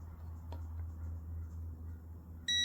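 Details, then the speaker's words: Brake fluid moisture tester probe in fluid sampled from a rear caliper, reading 2.5%, 2.4% moisture; yellow backlight and a steady high-pitched beep warn the fluid is not good and should be replaced (an earlier sample read 1–1.6%, green). "the rear moisture content from a rear caliper is 2.5%, 2.4%, and you can hear it beeping to let you know that this is not good and should be replaced."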